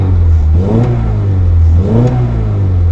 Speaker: On a un véhicule qui tourne très très bien. Au niveau de sa montée en régime, donc une montée en régime vraiment stable.